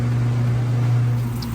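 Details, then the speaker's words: Maytag top-load washer on final spin, nearly at peak speed and speeding up as clothes lighten: smooth, steady low motor hum, no knocking or scraping; healthy spin. "okay we're back on that final spin it's getting started just about Peak speed now to get a little bit faster as the clothes get lighter"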